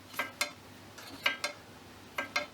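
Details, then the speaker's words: Scott Bonnar 45 reel mower restoration, setting the reel to the bottom blade, reel turned by hand after bottoming out the adjusters: crisp light ticks in pairs and a slicing noise. Reel blades contacting the bottom blade, set too tight. "I'm just looking through the reel here to see sort of how the blades are contacting that bottom blade. The blades on the reel are contacting that bottom blade."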